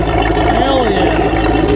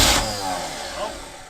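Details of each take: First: Small block Chevy marine V8 running on old fuel: deep even rumble at steady speed with clean smooth throttle blips, 40 PSI oil pressure, charging; healthy normal running. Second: Abandoned, flooded Chevy K5 Blazer on first start attempt: brief firing burst then fades and dies; runs only with key in crank position, low voltage measured to coil in run position.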